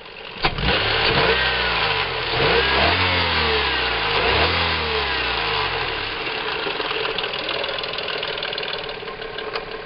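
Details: Heavy metallic knocking rises and falls with each throttle blip over a rough-running engine; severe internal knock, cause not confirmed.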